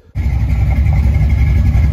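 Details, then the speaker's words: Ford 5.0 302 V8 after refitting a roller rocker that had come off from improper installation: steady deep even idle with no tapping or knocking; back to normal, quiet, no lifter noise. "It's back to its normal old self. It's quiet, no lifter noise."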